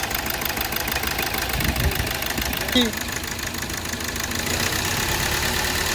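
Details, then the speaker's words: 2012 Hyundai Verna Fluidic at start/idle, cylinder 3 misfiring with error code, supply to it very low. Uneven, stumbling idle with heavy irregular knocking and engine shake. "ਜਦੋਂ ਅਸੀਂ start ਕੀਤਾ ਤੁਸੀਂ ਦੇਖ ਸਕਦੇ engine ਬਹੁਤ ਜਿਆਦਾ ਨੋਕਿੰਗ ਕਰ ਰਿਹਾ ਤੇ ਚਲ ਰਿਹਾ"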